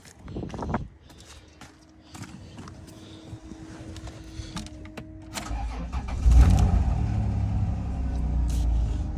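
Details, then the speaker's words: Vehicle at auction yard, 57,921 miles, dead battery started with a jump pack: starter churns briefly, then the engine catches and settles into a steady, smooth low idle; ABS and tire pressure lights on; healthy start. "Started right up. Looks like we got an ABS light on and a tire pressure light. Engine is smooth."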